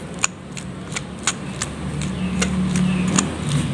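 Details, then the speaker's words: Toyota Revo alternator pulley removed and spun by hand: faint, uneven ticking about three times a second from a worn pulley bearing. With the engine running it squeaked like a mouse; replacing the belt and idler didn't cure it. "เสียงมันจะไม่ค่อยดังเท่าไหร่จะเบาๆแต่ว่าถ้าสตาร์ทเครื่องแล้วมันจะดังเหมือนเสียงหนูร้องนะครับ"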